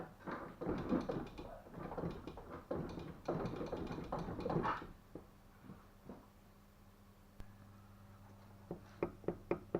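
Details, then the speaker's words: Tavria petrol engine idling with sharp, even knocks of about four a second over a low steady idle. It has no engine mounts, and the cause is not yet diagnosed. "а у них стучит странно это все мелочи разберемся"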